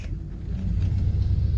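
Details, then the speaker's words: Van, after the owner learned the correct starting procedure: low engine rumble swells slightly as it is put in gear, with no squeal or chirp; the earlier squeak on engaging gear is gone. "no [Applause] squeak no squeak"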